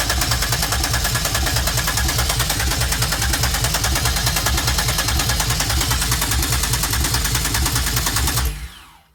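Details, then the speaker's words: 2004 Grand Am, 3800 supercharged swap with 5-speed, first start attempt after harness wiring, fuel pump jumpered, only 20 psi fuel pressure, old gas: steady even cranking for about eight seconds, no catch. Cranks, won't start; cause unconfirmed. "Damn. Dang, I was really hoping that was going to be it. I heard it try to start, though. I heard it try."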